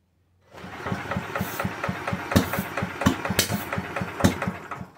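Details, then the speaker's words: Villiers Mark 10 side-valve engine, not run properly in 30–40 years, ignition just fixed, choke off: after kicking it catches with ragged pops and coughs, then dies within seconds. Owner suspects fuel starvation. "right now i think she's just being starved of fuel um i'll give it another go"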